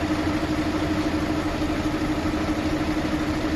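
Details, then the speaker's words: Mercedes-Benz Actros truck diesel at idle: a repeating knock of about two and a half beats a second, traced to cylinder number six. The injector nozzle is to be checked next; this is an abnormal cylinder noise. "छः number cylinder से आवाज़ है, अभी हमने इसको जो है track कर लिया छः नंबर से।"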